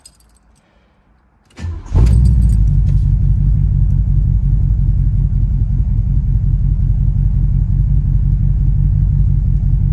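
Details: 1983 Mercury Capri with factory cast exhaust manifolds, after tightening manifold bolts on one side for a suspected exhaust leak; starter catch then steady low idle with no obvious puffing or ticking, though the leak may not be fully fixed.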